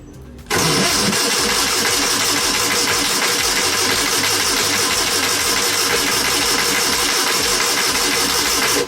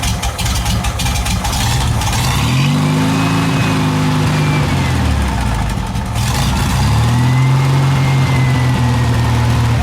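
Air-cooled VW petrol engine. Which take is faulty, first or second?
first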